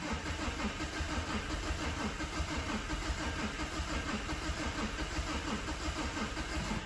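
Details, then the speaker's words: Mazda 6 diesel non-runner, flat battery on a booster pack, injectors disconnected, fast cranking: a steady beat where one stroke keeps coming through lighter. Low compression in one cylinder is suspected, with a relative compression check planned. "Mightn't say a whole lot, but probably doesn't sound maybe as sweet as a nut. We'll might have to do a relative compression check and see where we go."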